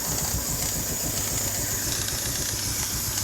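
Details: 2001 Hyundai Tiburon at idle: loud steady hiss over an even idle pulse, unchanging through the clip; vacuum leak, source still being diagnosed.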